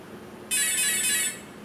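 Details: Align RCE BL80X or RCE BL50X ESC on 7.2 V setting, battery plugged back in after configuration via transmitter; single clear high electronic tone under a second at power-up; normal ESC startup tones.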